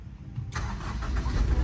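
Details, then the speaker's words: Toyota Kijang LGX 1.8 EFI manual 2003, about 18 years old, starting from the key: short crank, catches at once and settles into steady even idle; normal clean start, no problem. "normal tokcer tidak ada masalah ya"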